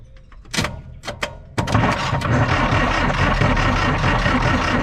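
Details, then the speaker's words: Lull 544-22 all-terrain forklift, probably from the 1980s, diesel four-cylinder (possibly Perkins), no glow plugs, sitting about 25 years: a few clunks, then steady, laboring cranking with no firing while an injector line is cracked to check for fuel, which does spit out. "I'm gonna crank it over and uh and you guys watch and see if it's spitting any fuel out of that hose there"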